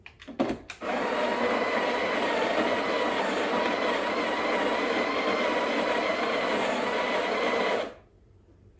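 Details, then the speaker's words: Breville Barista Express BES870 burr grinder at grind setting 4, single-dose mode; steady even high whirr about seven seconds holding pitch, then stops cleanly. Grinder healthy. "you can keep the grinder setting on the single or double what i like to do is i like to keep it on single actually even on making a double"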